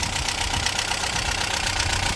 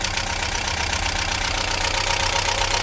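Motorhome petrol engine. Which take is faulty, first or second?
second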